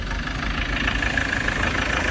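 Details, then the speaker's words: Ford Ranger T6 diesel at about 300,000 km with no power and poor acceleration. A loud, rough idle with harsh clatter and a breathy roar, heavy smoke, and oil vapor venting from the engine point to worn-engine blow-by; it is headed for an overhaul. "นะครับฟังเสียงเครื่องดังฟันควันเต็มเลยอันนี้ไม่เร่งแล้วใช่มั้ยเร่งรถแล้วใช่มั้ยไม่ไปเครื่องดัง"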